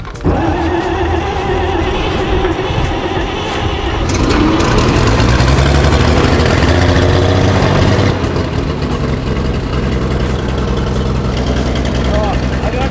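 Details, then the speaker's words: 1944 Chevy Blitz WW2 army truck, first start in 30 years on new fuel, fuel pump on: the engine catches, blips up and settles into a steady, slightly lumpy run. It runs fine, confirming the old fuel was the problem. "after all the teasing i gave the old man he was right fuel was the fuel was the fuel first start"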